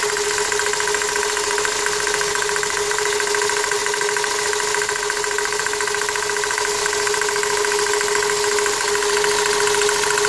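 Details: 1999 Toyota Corolla at idle: fast, loosely spaced tapping of about three or four per second, seemingly from the power steering pump pulley, which is tight; owner suspects the pump bearings or the belt tensioner; the knock is intermittent but increasingly frequent.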